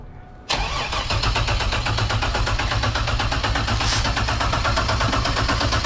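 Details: Turbo 3800 V6 Camaro, first start after sitting 2 years: steady even cranking about three turns a second for five seconds without firing; fuel pump priming, lack of ignition suspected.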